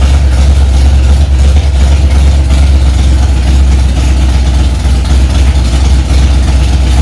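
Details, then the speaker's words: Freshly rebuilt Ford 289 small-block V8 in a 1965 Mustang, first start after priming to about 85 psi oil pressure; loud, deep, lumpy idle with big-cam lope but running steadily; engine won't shut off on its own, relay/solenoid wiring suspected. "Well, it runs. One thing it don't do, guys, is shut off on its own."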